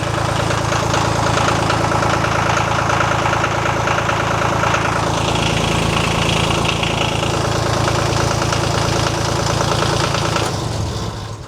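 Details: Old John Deere tractor diesel, oil pressure gauge refitted: even steady clatter at cold idle, three to four beats a second, no knocks or misses, cold oil pressure about 70 psi; normal cold idle.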